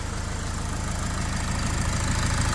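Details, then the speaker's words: Fiat Ducato 180 Multijet diesel at steady idle: fast, regular light tapping keeping pace with engine speed, located toward the back of the engine. Runs well; auxiliary belt, tensioner, alternator replaced, turbo done 20,000 km ago; cause not found. "Mikä on tämä ääni? Tuolla on naputus tuolla taustalla."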